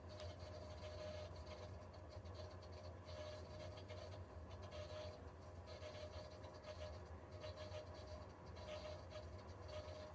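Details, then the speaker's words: Viessmann Vitodens 100 condensing boiler showing code F2: steady low hum with faint whine as the circulating pump vibrates because an internal part has come loose. "si es la bomba está sonando la bomba pero porque hace ruido tiene algo dentro está suelta alguna pieza"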